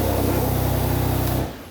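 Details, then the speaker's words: Rebuilt wrecked Porsche Macan Turbo, first start after cooling system filled, air intake not fitted: loud hissing suck over a steady idle before shutoff; turbos drawing open air. "okay you hear that noise we did not put the air intake on um so the turbos are just like sucking from here I guess"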